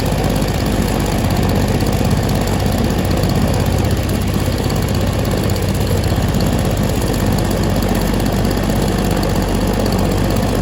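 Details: Stihl SH 55 handheld two-stroke blower/vac, started on choke, before carb adjustment: steady flat buzz held back from full speed, seems to have more throttle to give; carburettor adjustment suspected, not confirmed.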